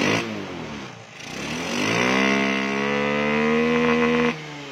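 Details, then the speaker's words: Honda Beat with a standard engine and a PE24 carb, which is not plug-and-play: engine revs and holds high with a rough, blubbery note and black exhaust smoke at high rpm; running rich from oversized jetting, so the main jet needs replacing. "jadi tadi setelah eh pengecekan ya di karbu baru ini karbu pe24 untuk bat karbu tidak PNP jadi harus ada yang diganti di bagian soalnya tadi pas dip pasang di bagian RPM atas dia ada kebul atau asap hitam di bagian knalpot ya"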